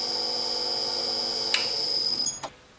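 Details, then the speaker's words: Huanyang VFD driving a drill press motor at the default 4 kHz carrier frequency: piercing steady squealing whistle over the motor until it stops; carrier frequency whine, much reduced by raising the carrier frequency to 8 kHz. "so you've got one of these drives and you get that horrible squealing sound from the motor just try change that parameter and see if that makes a difference"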